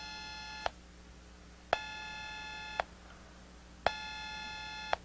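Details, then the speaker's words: Gorf arcade ROM/RAM board in test rig, blank monitor: repeated sharp speaker pops, each followed by a steady tone cutting off about once a second as the game keeps resetting; later traced to shorted socket pins. "Monitor blank makes pops in speaker like game resetting."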